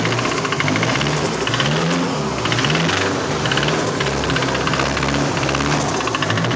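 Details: Nissan SR20DET engine bought used and installed, knocking the next day: sharp hollow knock repeating steadily under the idle, tracking engine speed; owner suspects rod knock from a worn rod bearing.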